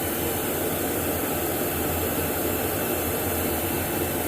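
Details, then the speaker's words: Woodgun fan, original motor rebuilt with new front and rear bearings, abrasion plate, insulation pad and end switch: steady, even whoosh with no knock, rattle or wavering tone, unlike the harmonic "wah-wah" of the new replacement assembly. "maybe you can hear on this video how smooth its operating and not like the new assembly that I bought that has a harmonic sound to it"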